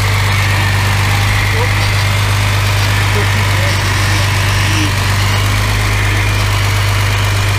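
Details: Mercedes W114 freshened engine, official first start: steady even low idle hum with constant tone, no misses or knocks; settling into healthy idle with no smoke.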